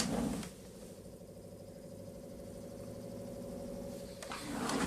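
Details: PS3 Super Slim console: between handling knocks, a low steady whir with hum rings on for a few seconds, cause unclear. Abnormal whirring noise.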